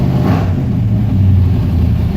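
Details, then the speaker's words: 1993 Chevy K1500 V8 with new dual exhaust, 24-inch Cherry Bomb glasspacks and small catalytic converters, no muffler gaskets yet: deep, even burble, quiet, no ticks or rattles; normal exhaust note. "actually sounds really good Wow quiet already"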